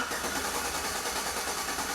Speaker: perfect alright so it hit about 200 amps and then he come back to about 150 absolutely perfect